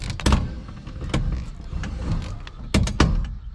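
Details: Steering column: sharp, uneven clunks about every second as the wheel turns; steering is harder. Owners suspect a failing bearing in the column near the wheel, not the coupler. Cause suspected, not confirmed.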